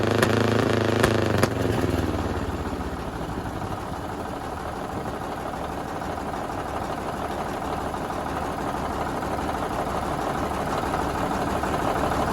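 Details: 1951 Caterpillar D8 2U dozer, first run since about 1990 after freeing a seized main engine: starter clatter gives way as the diesel catches and settles into a steady low chug, about four beats a second, running on its own power.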